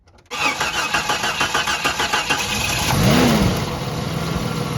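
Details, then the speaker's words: 1989 Jeep Cherokee XJ after replacing the in-tank fuel pump and the in-tank line damaged by ethanol gas: cold start with quick crank, catches cleanly, settles into a steady even idle with fuel pressure on the rail. "That was a cold start, hadn't been started."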